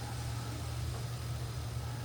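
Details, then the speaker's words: Whirlpool freezer in a damp garage that was tripping the RCD: steady low compressor hum with no knocks, rattles or cycling hiccups; running smoothly. "And I'm going to take my microphone off so you can hear the motor running."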